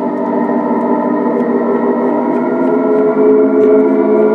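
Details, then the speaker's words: Mattel Optigan Model 35011 after a preamp repair, playing through one channel only, pedal down, reverb off, balance turned right, no keys pressed: a steady eerie organ-like drone; the owner suspects signal bleeding through, cause not confirmed. "now I'm not sure because the second channel was never working I've never to do that for so it sounds like something is bleeding"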